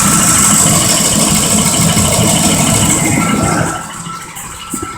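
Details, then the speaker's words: 2005 Ford Expedition 5.4L Triton with failing forward clutch, shifted drive to park: uneven stumbling idle with rattly chatter, nearly stalling under load; engine misfiring, cause uncertain. "now you can really hear it acting up"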